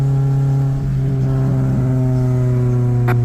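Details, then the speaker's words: Honda driven at 45 mph: loud, deep steady drone that swells every time the gas pedal is pressed, from an exhaust leak; later fixed. "I have an exhaust leak. It's very loud, and every time I hit the gas pedal, you can hear it."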